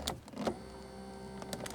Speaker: If I power the button in here on the door, hear that? You can hear the motor running. And if I put my hand on the door panel, I can feel the vibration.